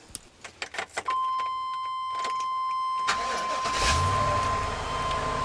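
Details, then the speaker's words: After replacing a fuel pump whose constant high-pitched whine went with sputtering and false starts: a few clicks and a chime, then the engine fires right up into a quiet, even idle with no whine. "Fires right up. Go over here. No noise at all. Just quiet. Awesome. Love it."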